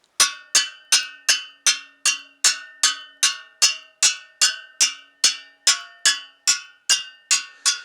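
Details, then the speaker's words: Triumph Bonneville T140 rear wheel, freshly rebuilt, 40 spokes (20 a side), spokes tapped one side in turn: crisp ringing pings at near-identical pitch, tension judged close enough and even. "All pretty close, probably not bang on, but good enough to my non-musical ear."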